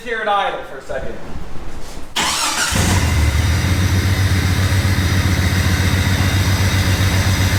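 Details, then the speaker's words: Jeep "Banana" 4.6 stroker engine just started after reseating a loose connector: catches, then idles with a steady lumpy pulse about four times a second, a rhythmic miss like a dead hole; suspected bad coil pack or injector, unconfirmed. "It's not sporadic. It's not like a camshaft. It's a rhythmic miss. So it could be a bad coil pack, or it could be that this injector doesn't have."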